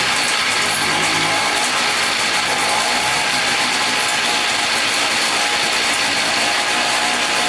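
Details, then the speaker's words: $250 Polaris Trail Boss 250 4x4 ATV, new starter, carburetor cleaned: raspy fast two-stroke idle with harsh metallic edge and uneven beat; teardown found piston skirt completely broken off, metal chunks and shavings, bottom end likely contaminated. "let's check out the piston here it is very rough there's all metal shavings and stuff in there the whole skirt is just completely off of it that is insane so those were those big chunks the whole piston skirt"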